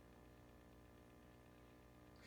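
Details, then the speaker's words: Sears Silvertone Twin Twelve 1484 tube amp under restoration, new hum balance pot replacing the filament center tap: a steady low hum with buzzy overtones when switched out of standby; possible DC leaking past the coupling capacitors is suspected, not confirmed. "when I take it out to standby I do hear hum do hear home right"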